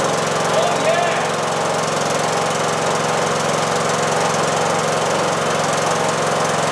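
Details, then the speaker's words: John Deere D110 lawn tractor with swapped replacement engine, after about 10 minutes of running: steady, even single-cylinder chug, no misses or knocks, light background rattle; engine sounds good, smoke at startup has cleared, valves may need adjusting. "All right. Well, it's been running for about 10 minutes, and I'm very happy about this. Gave us a little puff of smoke at startup, but it's not smoking now. I'm really pleased. The engine sounds good."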